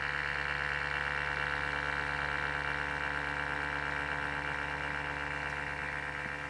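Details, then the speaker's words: Samsung NP550P5C-A02UK notebook: faint steady buzzing hum with fixed tones like an electric toothbrush; failing cooling fan, to be replaced. "The noise is a nuisance. It is displeasing, especially if you're using the computer in a library or a railway train, or if you're just listening to it yourself."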